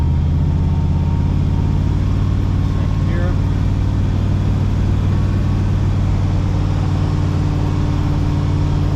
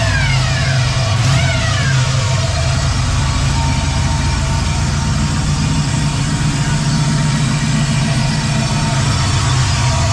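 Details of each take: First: 4L80E automatic that had whine and no gears, after new fluid and a filter replacing one found clogged solid, on a test drive: steady low cruising drone, no slipping, flare, clunk or whine; transmission working normally. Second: 4L80E automatic transmission with no forward or reverse gears and fluid at the correct level: steady mid-pitched whine over heavy engine drone, barely changing with revs; owner suspects the pump, others suggest a clogged filter, cause unconfirmed.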